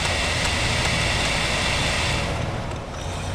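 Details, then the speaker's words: Dell Inspiron N4010 laptop (Core i3) cooling fan, bench-powered from a power supply after removing dirt that was blocking the blades: steady, even airy whir with no ticking or scraping, and the bearings sound good. Normal fan operation. "so my guess is you know that piece of dirt in there was blocking the the blades from turning that fan sounds good"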